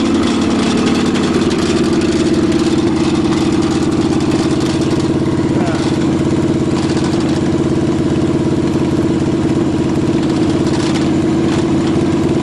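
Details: Cheviac demo-derby car, cold start on choke at 2 degrees above zero after fuel-line work: rough idle under fast ticking slap tied to engine speed, fan blades hitting the plastic radiator shroud from demo-derby damage; two fouled plugs also found.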